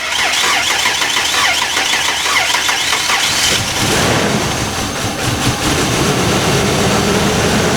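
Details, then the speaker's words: 1992 Ford Explorer engine started for the first time in 15 years, fed propane by hand with an empty fuel tank: cranks, catches after about 3.5 seconds, then runs lumpy and stumbling; rough running, owner suspects lost compression and very delicate propane adjustment. "Like it lost compression there on the second. propane is it's very, very delicate, the adjustment."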